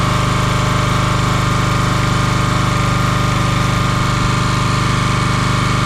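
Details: Champion 27-ton log splitter, 224cc single-cylinder engine, started after sitting a day or two: even, steady putter with regular beat and no misses or stumbles; engine healthy, though a hydraulic fitting leaks.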